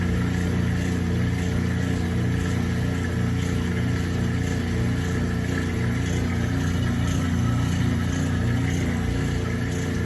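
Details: Kenmore 80 Series direct-drive washer, before its bad transmission was replaced, doing a proper neutral drain: even, steady motor and pump hum with a faint slow pulse and no slipping or knocking. Normal drain.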